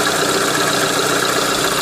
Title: Рено меган 2 стук двигателя 1